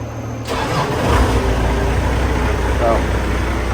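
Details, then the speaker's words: Gehl telehandler diesel, first start after a new low-pressure fuel pump and a starter rebuild, primed for about a minute: it fires almost instantly and settles into a steady, even idle, with a slight miss only in the first few seconds. "almost instantly now that was way faster than I expected for a first fire after having the fuel system open"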